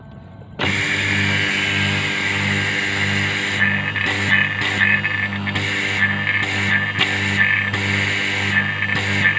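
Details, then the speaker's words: AC vacuum pump that leaks oil and pushes oil up into the manifold, plugged in for a test before teardown: it starts with a harsh, buzzy drone and an uneven, rattly edge instead of a smooth hum; it runs rough. "Dan suaranya agak kasar. Untuk itu kita akan melakukan pembongkaran pada mesin vakum ini."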